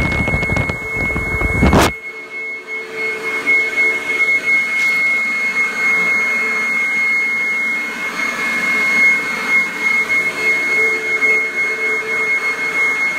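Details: 1997 Kirby G5 upright vacuum with metal fan, running in blower mode: brief bump at start then steady even high whine, no dips or rattles; fan sounds like a vintage 500-series Kirby; normal motor running.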